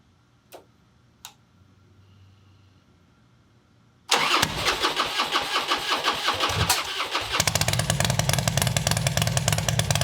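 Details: Custom Harley bagger with a hot battery fitted: quiet fuel pump ticks, then a short crank and it catches into a loud, lumpy, even V-twin idle that holds steady; normal start and idle.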